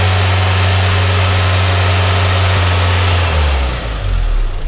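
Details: VW Citi Golf 1.4i after throttle body clean: steady fast idle with even low drone held high several seconds before dipping; over-revving, idle speed too high.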